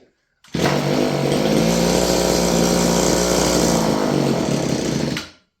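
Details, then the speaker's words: Roughly 30-year-old Stihl FS56 curved-shaft two-stroke trimmer: set to idle, it keeps buzzing high and uneven instead of settling, then cuts out. An air leak is upsetting the idle. "So that's idle, yet it doesn't idle. So let's try this again."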